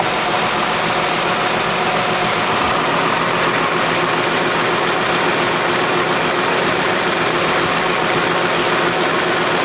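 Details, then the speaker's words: 2008 Chrysler 300 2.7 with misfire codes P0302/P0303, vacuum leak ruled out by smoke test. Injectors heard through a screwdriver: fast light clicking from all three cylinders, cylinder 2 more rapid. "Now I definitely do hear clicking from all 3 of the cylinders. The cylinder 2 seems more rapid, so I'm not sure what that means."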